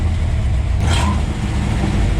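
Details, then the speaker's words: 1962 Ford F-350 with a newly fitted first-gen alternator, engine revving: a short rising squeal that fades back into the steady run; owner thinks it is the belt slipping and may fit a shorter belt. "We might have to look into that belt, maybe get a shorter one and pull the adjustment in more."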